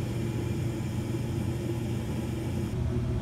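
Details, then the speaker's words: York Diamond 80 gas furnace on a no-heat call: the inducer runs, the igniter glows and the burners ignite, giving a steady, even low rumble with no pulsing, popping or rattles. Normal burner operation. "Inducer's running. And we have an igniter. And we have ignition."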